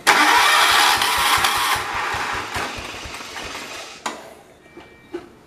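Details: John Deere 212 lawn tractor after tightening a loose carburetor bowl, previously not starting or running unless choked: cranks and catches at once, then settles into an even idle with no misses or stumbling; clean start.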